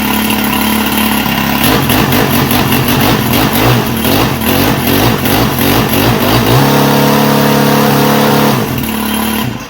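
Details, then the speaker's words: Dumpster-find Senix 4QL 26cc four-stroke hedge trimmer with a faulty pull start, started using push-button choke: catches, sputters briefly, then holds a steady even-firing buzz; normal running. "Got push button choke on this side. I've never seen that before. Let's find out. Well, she sounds like a manly one, don't"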